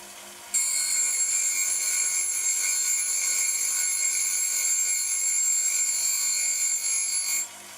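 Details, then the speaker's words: Homemade cutter grinder with a diamond dresser on a dovetail cross-slide, advanced to just touch the spinning wheel: bright, steady high-pitched hiss for about seven seconds, even contact; normal grinding wheel dressing. "if I wish to to dress the surface of this wheel well I can do so by using this Arrangement"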